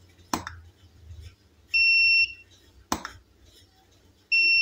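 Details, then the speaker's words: Tronic U2 Alfa studio flash monoblock after repair of a bad earlier service, calibration fault and power drop, tested with standard reflector and modeling LED at full power via trigger: a sharp pop then the ready beep, firing normally with no more power drop. "udah oke itu om suaranya kedengeran ya full powernya"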